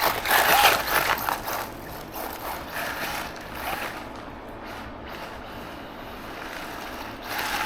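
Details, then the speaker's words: Arrma Mojave Grom RC car, drivetrain slipping after bashing (pinion chewed from motor coming loose): quick uneven ratcheting clicks about three a second; teardown shows the diff spider gears totally stripped. "so guys I did come down pull it apart quick and it seems that the spider gears inside the diff are just totally gone"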